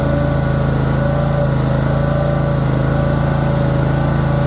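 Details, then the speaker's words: Troy-Bilt Mustang XP zero-turn mower, work note listed pulley off, bad starter, weak battery; started reluctantly, then steady even small-engine idle with low fast pulse, no misses; bad battery cable connection suspected rather than listed faults; hard starting. "So, in the shop we go. did have a little bit of problem starting when I don't think it's any of the above honestly."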